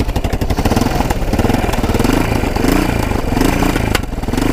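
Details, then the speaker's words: Roughly 1980 Yamaha XT500 single, sat over 20 years, on reserve fuel on a test ride: it thumps and revs unevenly, never climbing cleanly. It won't rev out; owner suspects the airbox restricts air, unconfirmed. "so i think we gotta take off the air box so i'm thinking the air box is restricting it so let's take off the air box sounds like it is at least sounds like it's not getting enough air"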